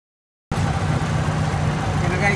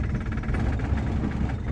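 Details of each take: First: Vintage car whose owner reported a low, rough idle with strong vibration, blamed on spark plugs being cleaned: here a steady low idle with an even beat and no misfire stumble or shake; running smoothly. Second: Vintage car with spark plugs in for several months: low uneven idle rumble with strong vibration, idle dropped lower; rough idle, owner suspects dirty spark plugs and plans to clean them.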